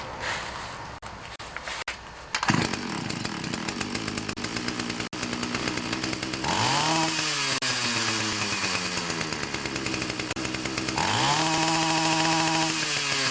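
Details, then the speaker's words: Ryobi 31cc two-stroke mini cultivator that died on throttle-up, after turning the low (L) carb screw out 1/8–1/4 turn: starts, settles to a steady buzz, revs up and drops back twice cleanly; normal running. "Run good with just that tuning. Basically all I did is turned out the L screw about 1/8 to 1/4 of a turn"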